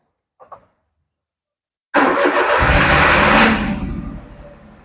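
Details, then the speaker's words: Perodua Viva 850 that died suddenly, restarted with a short jumper wire across relay pins 87 and 30 in place of the relay: quick crank, catches straight away, steady even idle; starts cleanly. "Jadi sekarang sudah engine sudah hidup, hanya menggunakan kabel inisial lah."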